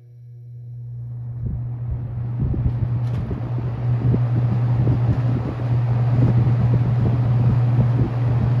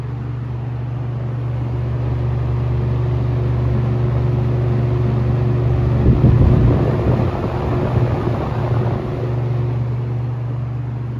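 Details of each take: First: Restored ~1977 Superlectric 2083 fan, first run, on medium: steady deep electrical buzz under the airflow whoosh; owner suspects a winding that had a loose wire. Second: Restored ~1977 Superlectric 2083 fan on its first-ever run, set to high: a deep, steady, low-pitched hum with an even beat. The fan is running normally.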